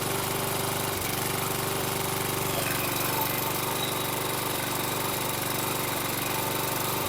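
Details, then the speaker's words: Toro Recycler mower, Kohler 6.75 (XT675) engine, running on a replacement carburetor after the original: rough, busy run with brief dropouts near one and seven seconds, smoking heavily and burning oil; intermittent cutting-out, better than with the original carb, cause unconfirmed. "okay extremely Smoky it it was uh cutting out intermittently but a lot better than it was with the um original carb it would cut out for a second or two and then catch itself"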